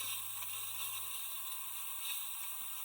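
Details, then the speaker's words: Whale underslung heater fan motor (model SI4312(B), 2013 Bailey caravan) on 12 V bench test after cleaning out debris from blocked-vent fault: steady even whir, faint low hum, no rubbing or ticking; sounds as good as expected. "sound as good as can be expected. I think reassembly try again."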